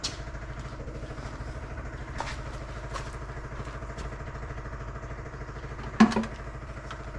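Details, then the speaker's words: 1963 Chevrolet Corvair after new PCV valve and vacuum leak fix, chokes open: quiet, even fast idle about 1100 rpm with steady vacuum and a couple of handling clatters; runs smoothly. "but right now it's running it's at uh about 1100 RPM and uh now we have a steady vacuum as well"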